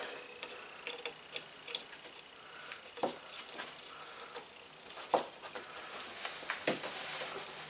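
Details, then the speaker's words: Scooter horn gives irregular dry clicks instead of a tone; the contact adjustment screw is out of adjustment, fixed by loosening the lock nut and adjusting the screw. "a lot of times you can get these things working if you hear that little clicking noise on them nine times out of 10 you can get them to work"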